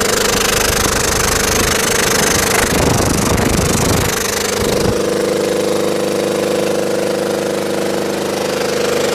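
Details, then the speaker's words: Belt-driven air compressor on a scrap-saved single-phase motor at 240 V, after the crossed capacitor wiring (start cap fitted in place of run cap) was fixed. After startup it settles into a steady hum with an even pumping beat near 3.5 per second; current drops as oil warms. "So you notice how the current draw went down as it ran? Part of that's because that compressor oil warms up and there's less you know, losses in the compressor mechanically as the oil gets warm."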